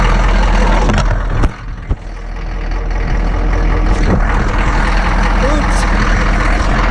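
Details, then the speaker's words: Ex-military Humvee (HMMWV) diesel with leaking fuel transfer pump, idling after a hard cold start: loud steady low clatter settling into an even idle, no misses or knocks; running fine. "that's her [Music] man these things are noisy"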